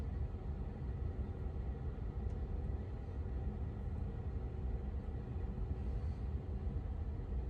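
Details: 2022 Tesla Model 3 rear-wheel drive with heat pump, recorded from outside the car with defrost on during warm weather: low steady hum with a faint constant tone, nothing cycling or grinding; heat pump running normally.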